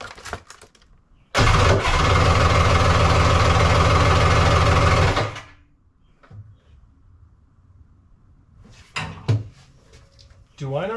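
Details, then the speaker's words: 1100 triple X2, first fire-up with a 750 stator/timing cover: catches, runs about four seconds with a pulsing drone, then stops abruptly and kicks back; owner thinks timing is way too advanced. "we've got it to run a couple of times very poorly and then it stops very abruptly it seems like the timing is way too advanced and it kicks back"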